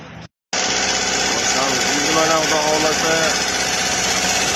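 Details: Chevrolet Lacetti 1.8 after loose drive belt was tensioned by slotting the water pump mounting and refitting the pump: steady, even idle with light regular tick and constant belt hum, no flapping or slap; healthy.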